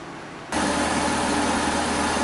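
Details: Kia Sedona after power steering pump replacement and bleeding: engine fires and settles into smooth idle, no whine or groan from steering pump; power steering normal.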